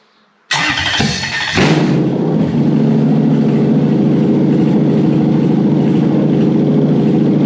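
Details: Toyota 1UZ-FE non-VVTi V8 with an immobilizer delete unit fitted inside USDM ECU 89661-50341: starter whirs, catches within about a second, flares, settles to a steady even idle; starts fine, though cylinder seven has a leaky valve.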